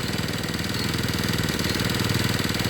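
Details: Two-stroke brush cutter that ran but would not spin its blade, after replacing the clutch drum, shaft and bearing: a quick, even pulse with no grinding or slipping; the cutter sounds healthy.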